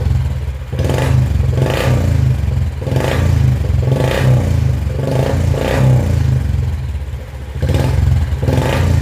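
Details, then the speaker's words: Royal Enfield Bullet 350 BS4 with a missing problem, after fitting a BS3-type replacement part: deep, even thump with clean throttle blips about every second and no stumbling or dropouts; normal running with no misfire. "तो आपने देखा BSP वाली सीधे लगाने से गाड़ी में क्या अंतर है एकदम गाड़ी पर सेट हो गई कोई भी मिशन नहीं गए इस कार्यक्रम में"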